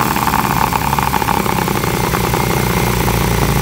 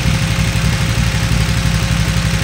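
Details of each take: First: 2008 KTM 990 Adventure S V-twin, 6,500 miles, sat for years, after TuneECU adaptation reset: holds loud steady revs, then cuts out abruptly once throttle is fully released; stalls on closed throttle, cause unknown. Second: 2008 KTM 990 Adventure S V-twin, 6,500 miles, after 15-minute TuneECU adaptation reset: steady smooth idle with no throttle, fan running; bike stalls whenever throttle is chopped after revving, weak spot around 4,000-4,500 rpm.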